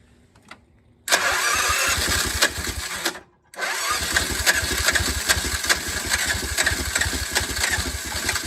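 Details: Old golf cart small engine with bad fuel pump, started on jump box: silence, fires, cuts out briefly, catches again and settles into an even, rapid putter; shaking is normal, running fine.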